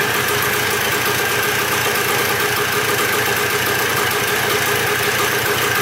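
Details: Dirt bike bought in a four-bike lot, first start after checking the petcock and carburetor and refitting the spark plug: an even, buzzy two-stroke idle at a constant pace with no stumbles or knocks; normal idle.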